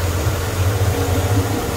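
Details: Mercedes-Benz W203 C240 Elegance petrol, 70,000 km, after all-new engine parts, suspension and electrics: smooth, steady low idle hum with an even pulse, no knocks or ticks; normal idle.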